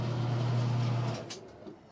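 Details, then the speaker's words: Maytag Performa washer that wouldn't drain, tested after the belt was refitted. Even low spin hum for about a second, then it winds down with soft clunks: normal spin. Squealing started on the second load. "spinning perfect yep working great"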